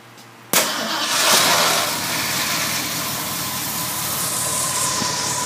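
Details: 1978 Ford Bronco engine starting cleanly and settling into a steady, even idle with no exhaust puffing or ticking after the exhaust leak was fixed.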